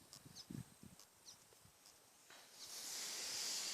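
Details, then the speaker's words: HippoFence electric fence energizer rated 20,000 volts, battery-powered with earth wire to ground: quick irregular snapping ticks, then a rising steady hiss as a small spark arcs at a close gap; normal spark discharge. "Yeah. Small spark. You see the sparking right over there?"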